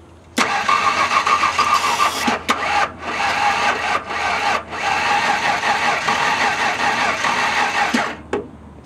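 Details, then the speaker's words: Oily LT van with starting fluid in the intake; fuel pump primes, clogged fuel filter suspected: several seconds of starter churning without catching; cranks but won't start, owner now suspects a spark issue. "oh boy this might be a spark issue"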